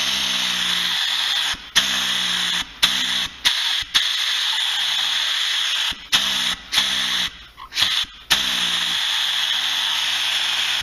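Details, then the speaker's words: Harbor Freight pneumatic reciprocating saw after adjusting an Allen screw and oiling it. A loud air hiss keeps cutting out, starting and stopping every second or so; it still stalls at the bottom of each stroke. "now it stops at the at the bottom of the stroke every time"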